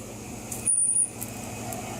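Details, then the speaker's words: 30-year-old AC condenser fan motor, about 21 months after previous oiling: short high intermittent squeal chirping over low fan hum, dry motor bearing; owner re-oils it with light mineral oil rather than replacing. "it's just intermittent now we're going to get ahead of this thing i think i'm going to oil it"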